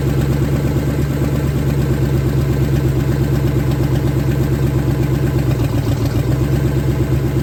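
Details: 1970 Ford Falcon, freshly budget-rebuilt 5.0 V8, cold, on open shorty headers, cold oil pressure about 70–80. Steady, even idle with a smooth low pulse, no ticks or knocks; starts easily, no weird noises, healthy.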